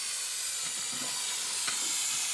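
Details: Air compressor running: steady high-pitched hiss that never lets up; the valve underneath seems open or missing a piece, and a hole lets compressed air leak.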